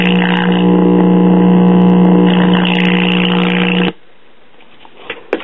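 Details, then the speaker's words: New-old-stock, possibly never-used 1965 Magnavox 5-tube AM clock radio: loud, steady, low buzzy hum that cuts dead when switched off. Bad filter capacitor; the clock is also dead. "you can tell the filter capacitor is bad and it appears the clock is dead which is no surprise"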